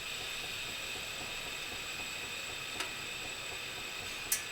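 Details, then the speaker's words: True Mark 88 mm ball-bearing turbo on an LS-swapped Mustang still spinning down after shutdown from idle, 18+ seconds and counting; faint steady high whistle, no rubbing or scraping; smooth free-spinning bearings, normal spin-down. "it's still going though 18 seconds and i started this late that's some smooth ball bearings if you ask me"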